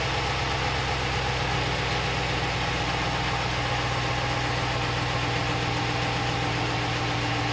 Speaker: hopefully you can hear the normal sound of the fuel injectors ticking that's the one that is that's that's what they're doing it's not a big deal that's a normal sound of operation